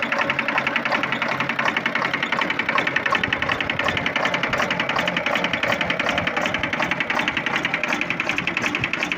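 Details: Volvo TWD121 stationary 6-cylinder diesel running: hard, fast, regular loud knock; broken exhaust valve with the piston smashing the pieces.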